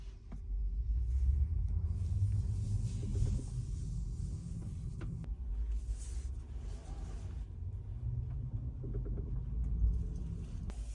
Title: Model Y Knocking sounds every after being parked.